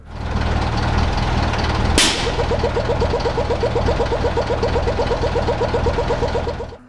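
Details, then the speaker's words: Unimog 421 with engine idling: the air regulator reaches pressure and vents with a sudden burst, then a fast turkey-like warble about four times a second, because its filter/silencer is missing. "once it reached its pressure it's going to be letting the remaining air out here and on this one it makes quite a weird noise it just sounds like some strange turkey"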